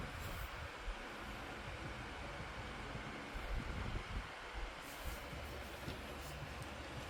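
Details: Lasko 2501 12-inch desk fan after cleaning and motor replacement: steady airy whoosh with even low rumble, no rubbing or ticking as it oscillates; fan runs smoothly, though high speed was faster before.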